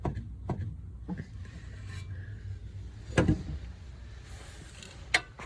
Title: Стук рейки polo 2017